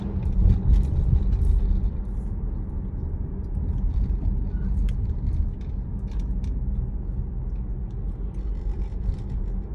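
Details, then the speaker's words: 2011 Jeep Grand Cherokee, rear end lifted, wheels driven, after driveline replacement for a clunk noise: low, even rumble with no clunks on load changes and no rhythmic vibration; noise gone, driveline healthy. "okay so we pretty much did exactly what we did earlier we don't be kidded knowing now we did it again after the repairs and the noise is gone"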